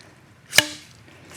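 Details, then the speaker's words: Triumph Tiger Cub front fork pulled up by the bars: sharp metallic clunk and faint second tap as the bottom of the fork hits while topping out; missing quarter-inch O-ring rubber bumper. "So what that is, it's the bottom of the fork hitting."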